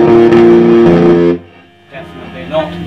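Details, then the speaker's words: Fender Blues Junior valve amp with new valves, warmed up, guitar played through it and through a known good speaker: harsh, fuzzy, broken-up notes, worst on bass; heavy distortion inside the amp, not speaker or valves. "oh yeah okay so bass notes horrible distortion okay that sounds really nasty"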